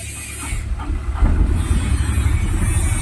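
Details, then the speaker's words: Mahindra Jeeto/Supro BS6 diesel with SCR fault no-start, after resetting and clearing DTCs; urea (DEF) pipe found burst: starter churns briefly then engine catches into a low, steady rumble; starts and runs normally. "देखिए start कर दिया, start हो गया।"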